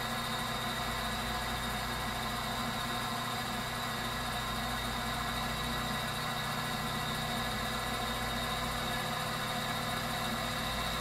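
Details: Viessmann Vitodens 200-W WB2B35 condensing boiler, built about 2011 and about 5 years in service, which intermittently stops heating with no fault codes; radiant-loop zone calling for heat. Steady, even roar and hum with no surging, popping or pulsing; burner firing cleanly and normally.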